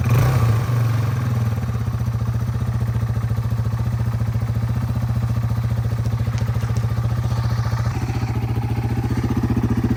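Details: 2001 Yamaha TTR 225 after four years sitting and carburetor cleaning, first start with jump pack: steady, even low single-cylinder idle thump about four beats a second, no misses or knocks; runs clean.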